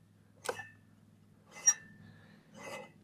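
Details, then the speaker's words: Oasa R1 robot reel mower, 13-inch all-metal reel: three light metallic rings about a second apart over a faint motor hum as sensors listen to blade contact; normal reel blade to bedknife contact. "Not only that, but there are sensors in this that are actually listening to that blade that make sure that it contacts where you can hear it. You can hear that ringing"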